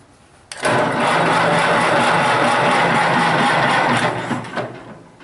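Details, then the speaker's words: Massey Harris 81 tractor, unused 15 years, cranked after rust-like corrosion was cleaned off the terminals: the engine spins over briskly and evenly for about four seconds, then winds down; normal healthy cranking speed, so fuel was suspected next. "now that's turning over great so everything's good"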